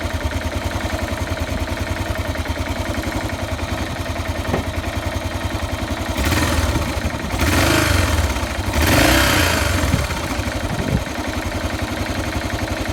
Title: XT 600 43f Motorgeräusche kalt